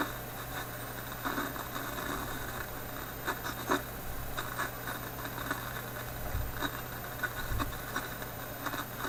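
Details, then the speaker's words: Philips 922 vacuum tube radio restarted cold after sitting a few hours, on current restriction at reduced voltage: irregular crackles and pops over a low steady hum; an intermittent fault, and the owner suspects the IF capacitors. "now that crackling seems to be there which doesn't seem too affected here around the highest battery"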